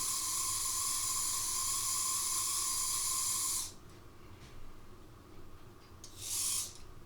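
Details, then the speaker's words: Second-hand Oxford Rail Class 415 Adams Radial 4-4-2T model locomotive on test track after oiling the top motor bearing; thin steady high whine with hiss, noise persists; motor noise, cause not confirmed. "I don't know if you can hear that, but I definitely can. And that sounds really like the motor problem, motor noise."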